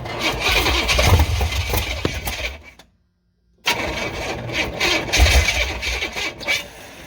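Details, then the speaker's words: 1986 Silverado C10 with a carbureted Vortec 350 swap and an old carburetor, first start attempts: uneven cranking with weak, ragged firing tries that won't catch. Owner says it needs much more ignition timing than expected. "He's trying. Like I said, that carburetor, I figured it was probably gonna put up some fight. It's needing a lot more timing than I thought it was."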